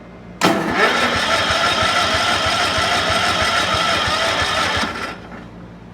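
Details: Cub Cadet 1450 hydrostatic garden tractor pulled from storage, in about −30° wind chill: steady starter churning about three beats a second for several seconds with no firing; cranks but won't start.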